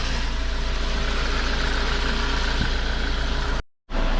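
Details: VW MK5 Golf 1.4 TSI twin-charged, first start-up after water pump and supercharger clutch replacement, coolant refilled and warming up: steady, even low-pitched idle with a smooth regular beat, no knocks or misses; idling healthily and quiet, check engine light on.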